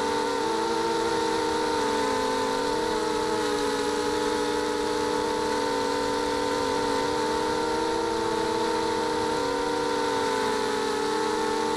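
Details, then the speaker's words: ZMR250 mini quadcopter with worn RC Timer 1806 brushless motors. A steady, slightly wavering whine with a buzzy edge is heard; the motors have worn bearings and about 0.75 mm or more of vertical shaft play. "the motors on this these are the RC timer 1806 Motors they're pretty worn and there's a little bit of vertical movement in some of the motors"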